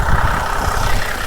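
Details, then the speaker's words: Ex-police Holden VZ Commodore petrol, warm idle after a drive, coarse rapid diesel-like clatter that worsens over time and mostly goes away after restart; cause undetermined. "she's already starting to sound a bit like a Commodore diesel and it gets worse and worse and worse apparently"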